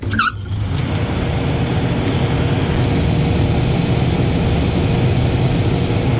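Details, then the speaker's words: Replacement belt-driven vent hood fan motor after the previous new motor failed (overheating, odd amps), belt tension set, drawing about 9 amps of 10.4 rated: short start chirp then strong even hum, no rattle or drag; normal running. "now that's a hell of a lot faster and better running than the other one was"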